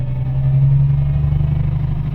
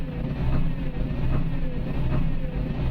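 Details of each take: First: Isuzu Forward truck after fixing a P0336 crankshaft position sensor fault and clearing codes: deep diesel rumble rises smoothly under throttle with no stumble, and the gauge needle no longer fluctuates. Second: Isuzu Forward diesel truck at idle, P0336 crankshaft position sensor problem: idle lumps and surges about once a second, rough hunting and hiccuping, stalls while driving; no check light, scanner shows other sensors fine, wiring suspected.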